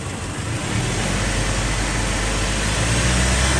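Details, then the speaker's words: 2003 Toyota Tacoma 2.4L 2RZ-FE four-cylinder after replacing a misfiring coil pack with a new NGK unit: idles much smoother and picks up a little revs, with only a faint occasional stumble; spark plugs look bad and a tune-up is due. "sounds like new now it's sounding a lot smoother it still has a little bit of a stumble"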